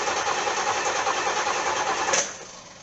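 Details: C4 Corvette with Crossfire fuel injection, fuel pump relay pulling in and fuel heard reaching the injectors: starter spins the engine at an even rapid churn but it never catches; crank, no start, owner suspects the ECM.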